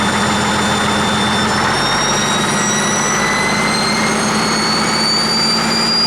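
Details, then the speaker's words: 1959 Caterpillar D337F diesel genset with about 960 hours, stored in a barn 10 to 12 years, running with no load and barely up to operating temperature. Steady rumble with a rising turbo-like whistle as it warms, no knocks: normal running. "seems to do pretty well of course them have a load on it or anything you know it's it's barely up to operating temperature"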